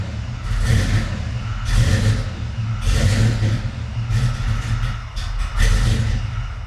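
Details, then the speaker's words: Foxbody Mustang after Holley Terminator X EFI install, starting with a little gas: uneven low rumbling surges about once a second as it catches and fades; hard start, owner suspects excess cranking fuel enrichment and timing. "But anyways, um it still is cranking a few times before it starts up. It's much better. The quality of the idle is much better."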